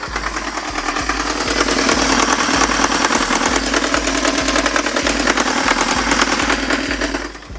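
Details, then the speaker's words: 2015 Kia Sportage, 2.0-litre naturally aspirated 4-cylinder 16-valve engine, mic placed at the engine: deep regular thud about three times a second, heavy knock low in the engine; diagnosed as probable crankshaft connecting-rod bearing play, not yet confirmed before teardown. "Motor ovozini eshitdinglar, katta ehtimol bilan val stuk berib yuborgan. Ya'ni kalin val bo'ladigan bo'lsa, ustida shatun ushlab turadi, shatun luft berib yuborgan deb diagnoz qo'yildi."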